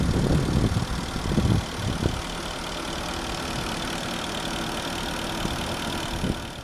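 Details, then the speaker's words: 2005 Porsche Cayenne Turbo V8 idling, heard at the open engine bay: steady smooth idle with light quick ticking on top, which is the fuel injectors; normal idle with injector ticking. "Here's the engine. The clicking noise you hear is actually the fuel injectors."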